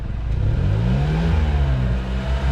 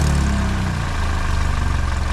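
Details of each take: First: 2012 Hyundai Elantra after exhaust repair (a new flex pipe had gone loud again): revs and settles smoothly with a deep, quiet exhaust note; the owner notes a minor leak remains by the rear muffler. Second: 2012 Hyundai Elantra idling, loud again days after new flex pipe: deep idle with raw puffing exhaust up front; leak at flex pipe-to-manifold flange, not manifold, possibly burnt gasket, to be tightened.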